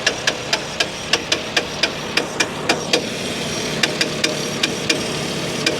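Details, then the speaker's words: Honda Insight idling: a sharp, evenly paced metallic knock about four times a second comes from the crank pulley balancer, which has come detached. There is no power steering, and low compression is also suspected. "ah bingo I see it crank pulley it's the balancer on the crank pulley that's doing that the balancer on the crank pulley has come detached and uh and that's what's making that noise"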